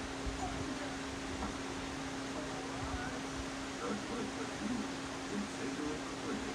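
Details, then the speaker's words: Drum fan on medium speed: a steady, low-pitched hum or whine above the rush of moving air that comes and goes intermittently. "It's humming. You should hear that noise. It's making a humming sound. It's running on medium, but it's making a humming sound."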